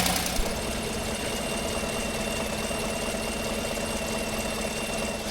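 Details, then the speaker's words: 2018 Chevy Silverado at cold idle after water pump replacement and a new radiator cap: fast even ticking from a broken exhaust bolt on the back of the header leaking exhaust; the ticking quiets down a lot once warm. "There is a ticking noise. I looked at it the other day. The ticking noise is coming from a broken exhaust bolt on the back side of the header."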